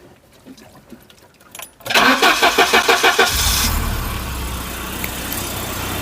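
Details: Volvo 740 after cooling system overhaul with new radiator, freshly filled with water, cold: brief even cranking then clean catch to smooth idle, no exhaust chuffing; sounds better, to be warmed up and topped up.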